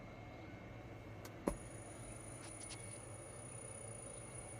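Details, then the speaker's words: Stetsom high-voltage Class D amps run at 400 V from an EV traction battery: a click at switch-on, then a thin, steady very high whine; switching ripple (about 8.74 kHz, plus ~1 MHz) leaking to the speaker output. "Now, I've had this issue with some of them, not all of them, and I'll show you what it is. When I turn on one of the amplifiers, we have this annoying high-pitched squeal."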